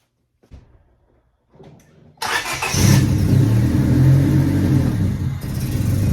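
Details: 1998 Honda Civic after replacing a suspected bad MAP sensor with a Denso 3280 stock sensor: a brief crank, then it catches quickly and settles into a steady, even idle. The earlier miss is gone.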